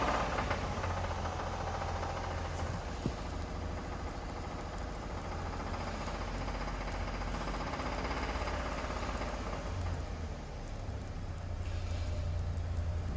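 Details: Toyota Tundra engine with 30k, steady idle with a light, uneven knocking underneath at about three beats a second; engine knock, cause not pinned down.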